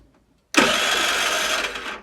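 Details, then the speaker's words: Longjia 50cc scooter after carb cleaning and electrics work, cranked on a 12 V portable jump starter with no battery: steady starter whirring for about a second and a half, never catching despite confirmed spark and fuel; cranking but no start, cause unknown. "Okay. It's having fuel, it's got spark. Why isn't it starting up? Bit odd. Got spark, got fuel, but it won't start."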